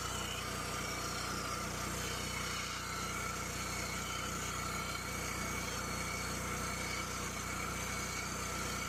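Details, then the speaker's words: Cummins Onan LP (propane) generator in Class B Mercedes Sprinter van, after removal, repair of no-start and reinstall: low steady hum with even beat, no misses or surging; running normally. "So we're all done with the generator install. Everything's working, and I'm very happy with the results."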